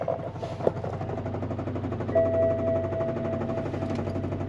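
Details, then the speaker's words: 2012 BMW 750Li at auction, stuck in neutral with parking brake on, likely undercarriage damage: steady idle with a loose, uneven knock about four per second; knocking really bad, source unconfirmed. "I got black stuff all over my hands from the steering wheel and she is [Music] knocking really bad and she's stuck in neutral with the parking brake on"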